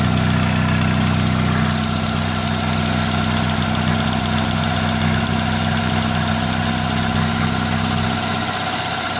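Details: 1998 Toyota Camry 5S-FE four-cylinder with strong blow-by at the oil fill cap, PCV valve, plugs and oil just changed: steady cold idle with a fast, light chattering/tapping from the crankcase for about 5 minutes after cold start, then it goes away; cause unknown.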